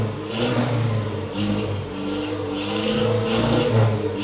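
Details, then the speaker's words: Datsun 120Y after carburetor cleaning and a fuel tank clean; picks up and falls back cleanly through several blips with a steady hum between. Revs well, previously only idled; still really hard to start. "I don't think it's the main problem for this car at the moment because it's really hard to start but now I can actually rev it once it gets going"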